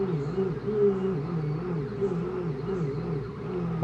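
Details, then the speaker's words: 2014 Ford Focus 2.0 automatic, 106,000 miles, auction car with a crank-no-start and a throttle body that won't move: the starter drags slowly with a labored rise and fall about twice a second, never catching; the roughly five-month-old battery didn't charge all day and is dead. "this battery did not charge at all from all day this battery is dead man"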